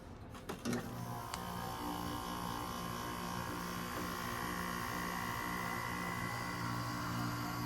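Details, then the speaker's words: 2012 Frigidaire 5,000 BTU window air conditioner: brief clunk as the compressor is switched on, then a steady constant-tone low hum; normal compressor startup. "There it is. Wanted to hear that thing start up for a while. It's, in my opinion, my favorite sounding unit my relatives have."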